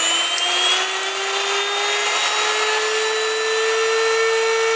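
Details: Brand-new Wondermill electric grain mill on first use, grinding grain on a cutting board: loud, steady high-pitched motor whine rising slowly with even gritty grinding, no knocking; normal grinding, mill gets hot, yields flour between bread and pastry.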